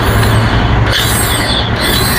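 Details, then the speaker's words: Yamaha FZ version 2 that won't self-start, key on, starter button pressed: steady busy electric whir with no firing and no compression drag as the starter motor spins freely without turning the engine; starter one-way clutch suspected faulty. "ഈ ഒരു motor മാത്രമേ ഉള്ളിൽ നിന്ന് കറങ്ങുന്നുള്ളൂ. അപ്പോൾ അതിന്റെ മിക്കവാറും അതിനുള്ളിൽ വരുന്ന നമ്മുടെ സ്റ്റാർട്ടർ ക്ലച്ച് അതായത് വൺവേ ക്ലച്ച് എന്ന് പറയുന്ന ഒരു പാർട്സ് കംപ്ലൈന്റ് ആയിട്ട് തന്നെ"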